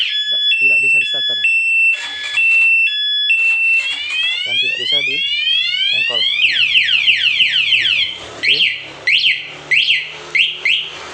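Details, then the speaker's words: Honda Supra X 125 motorcycle with an anti-theft alarm installed without cutting wires: engine cut off remotely via the key fob, then chirping beeps give way to rising warbling siren sweeps and sharp bursts with no engine running; alarm triggered. "Ya anggap saja ini di bawa orang dibawa begal kita matikan ya motor mati bunyi"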